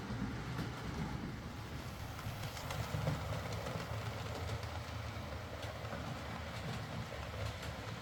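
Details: Used Hornby R2959 Thompson L1 2-6-4T running on the layout after greasing the worm gear: soft, even rolling hum with light rail clicks and no grinding. The earlier forward grinding came from the double gear lifting against the worm gear.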